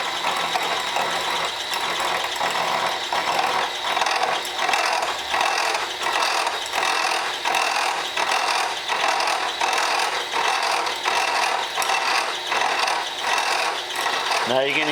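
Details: Portakey in-place machining tool, cutter hand-fed slowly in an old spindle holder: rhythmic chattering rasp about 80 times a minute; owner suspects the spindle doesn't run true. Cutter chatter, cause suspected, not confirmed.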